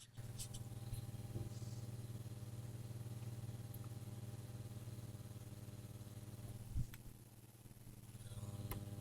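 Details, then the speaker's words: Valve guitar amp with no reverb, powered on with its cover removed, mic held to the mains transformer: a loud, steady, gritty mains buzz; hum also rises as the reverb control is turned up. "I'm just going to hold this up to the manage Transformer you can hear just how noisy it is"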